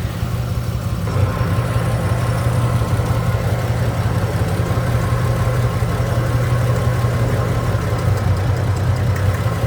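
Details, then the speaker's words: 1967 Chevrolet Impala at hot idle: lumpy, rhythmless idle with a recurring stumble and the car shaking. One cylinder is misfiring from an oil-fouled spark plug, and ignition advance is also under suspicion. "yani pata pata pata pata pata vuruyor yani rölantideki Sesi bile çok rahatsız edici"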